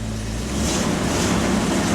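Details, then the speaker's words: 2005 Jeep Wrangler restarted after a crank-no-start. Fuel pump heard priming at key on; steady, even rumble with a smooth idle and no knocks or misses while warming up. Normal idle. "Let's try again. Key on. Yep, it sounds good. You got the fuel pump. Yeah."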